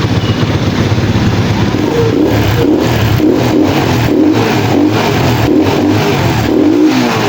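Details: Pantra-type motorcycle, formerly very hard starting, after converting to a Lihua 4-pin CDI on a primary-type stator: quick start, then steady even note with clean throttle blips, no misfire or stumble.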